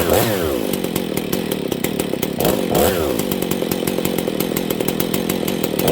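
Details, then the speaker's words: Husqvarna 268 two-stroke chainsaw idling steady with faint light jingle and chatter from the clutch; idle being lowered since worn clutch spins the chain: worn clutch causing chain creep at idle. "that's a worn out clutch it's not too jingly but here you guys can notice that okay uh the clutch is a little worn on this"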